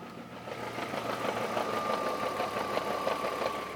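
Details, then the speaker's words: BMW M54 engine in an E46 330Ci at idle: irregular light knock about three per second over a faint whine appears when clutch is released and stops with clutch pressed; owner suspects failed dual mass flywheel, unconfirmed. "clutches in at the moment and we just release the clutch you hear this horrible noise clutch back in noises gone clutch back out"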